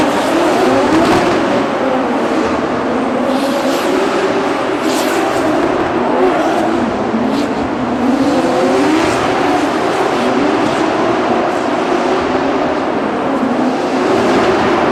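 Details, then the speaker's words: Drift car at Drift Masters final, Warsaw, nitrous off: engine screams near top of rev range but breaks up, hitting a false limiter around 6200 rpm; team found cracked spark plug porcelain acting like a coil pack fault. High-rpm misfire from cracked spark plug. "the team found that the porcelain on the spark plug was actually cracked. So, what's happening was once I was up in the higher RPM, it was like I had a coil pack issue. So, the car is hitting a false limiter at like 6200 RPM."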